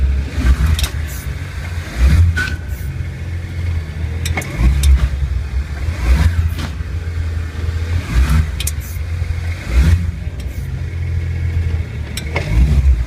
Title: 1 series - Bad wheel bearing?